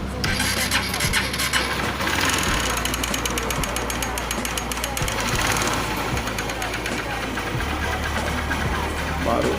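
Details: 2008 Honda CG 150 motorcycle idling and revving with rapid, hard metallic bottom-end knock; cam chain already replaced but knock persisted, diagnosed as connecting rod rather than valves.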